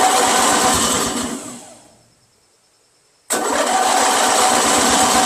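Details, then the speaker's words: Briggs & Stratton 16HP opposed twin from curbside Craftsman tractor, previously water/oil flooded, first start after restoration and new ignition switch: engine winds down near silent then roars back, running unevenly; owner suspects too much fuel flooding it despite lowered throttle. "too much guys it seems like too much fuel to me you know what I'm saying I've lowered the throttle yeah it's just too much fuel man you I'm flooding the engine every time"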